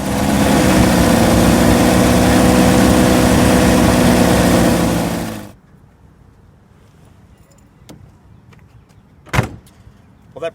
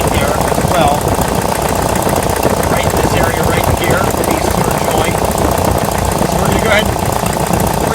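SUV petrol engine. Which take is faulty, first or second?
second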